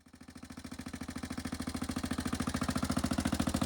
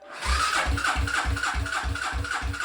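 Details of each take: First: 1995 Suzuki LS650 Savage single-cylinder converted to a chopper with a custom straight pipe, first start after the build: loud, even open-piped thumps building slightly, then settling into a steady idle; normal idle. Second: 1995 Suzuki LS650 Savage converted to a chopper with a custom straight pipe, first start attempt after filling with gasoline, choke pulled: slow regular chug of about four compression strokes a second under the starter, no firing; cranks but won't start.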